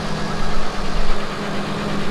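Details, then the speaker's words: Ford Ranger after valve cover gasket replacement and reconnecting hoses and vacuum lines; an earlier rear tick was traced to an unseated spark plug. Now a low, even, smooth idle with no ticking or misses. Normal idle. "it's nice and quiet now i don't hear any weird noises yeah it sounds nice"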